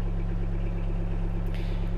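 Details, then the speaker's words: Sherp ATV diesel idling after a trip, in neutral with the handbrake set, just before shutdown: a steady, even low drone with no knocks or misses. Normal idle. "переводим коробка передач в нейтраль даем двигателю поработать на холостых ставим машину на ручной тормоз и"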